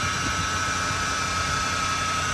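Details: 2007 Ford Crown Victoria at idle, before replacing the tensioner pulley, which was loud when accelerating and had a terrible bearing when spun; steady high-pitched whine over idle: failing belt tensioner pulley bearing whine.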